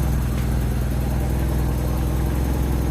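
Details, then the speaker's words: Nissan 200SX S12 Silvia CA20E after a distributor install, ignition timing not set with a timing light: steady, even low rumble with no knocks, misses or hunting; smooth, healthy idle. "Well, I can't find the other piece for my timing, but it should be good. Actually, it even sounds good."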